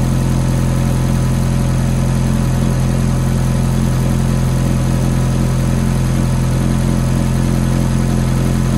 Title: F430 Cold Start Ticking Noise